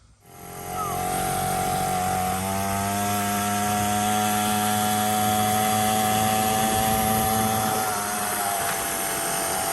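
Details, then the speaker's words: 49cc dirt bike, newly installed replacement engine, new fuel line, fresh gas, choke on, being broken in: fires and settles into steady buzzing idle with even tone, no knocks or misses; running fine. "Go light scroll. Just breaking it in. We don't want to go too crazy. But we want to see what it's doing a little bit."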